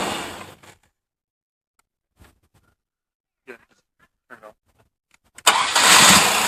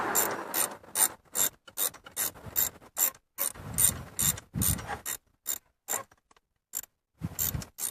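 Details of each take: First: 1998 Chevy S10 4.3 V6, over 310,000 miles, starting after a new belt tensioner, idler pulley and serpentine belt replaced a melted pulley. Cranks and catches cleanly into a steady idle with no belt squeal or chirp. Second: 1998 Chevrolet S10 4.3 V6 with 310,000+ miles, old idler pulley spun by hand off the engine: gritty rattling rumble fading as it slows, with silent gaps between spins; worn bearing, new pulley silent.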